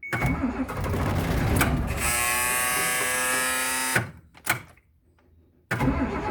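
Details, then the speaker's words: Bus unstarted for about two and a half to three weeks in cold near 10 degrees, after waiting for the glow light, throttle pulled up: starter whirrs about two seconds, turning over but not firing; crank no start. "i'm gonna pull the throttle up a little bit that's what this is for it's turning over it just ain't firing off"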